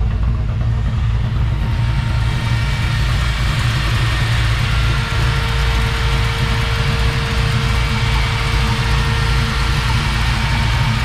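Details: Warm idle of a newly reassembled XR, finally running, just before its first test drive. Steady, even low idle with no misses or knocks, only a faint thin tone in the background. Healthy, though the owner says the fan belt isn't pulling fully.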